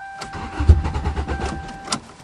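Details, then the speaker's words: 2009 Toyota in cold start cranks a couple of seconds with a few weak firings that never catch, then cuts out; fuel pump not heard, owner suspects a stuck fuel pump, same as last year. "baby oh now you're teasing it's doing the same thing as last [Music] year I can't hear the fuel pump probably is a stuck fuel [Music] pump"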